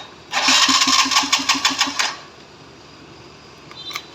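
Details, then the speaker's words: TVS Sport carburetor motorcycle with carburetor pipe removed: sharp even pops about five per second under two seconds; disconnected pipe causes the popping. "अगर pipe य से निकल जाएगा दोस्तों तो कभी भी इसका पाइप चेक करने का अगर य पाइप निकलेगा तो ऐसा आवाज जाते है"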